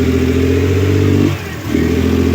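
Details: Suzuki F6A electronic fuel injection engine with hard starting and low power: revs steadily, then sags and nearly dies when the throttle is opened before picking up again, hesitation on acceleration.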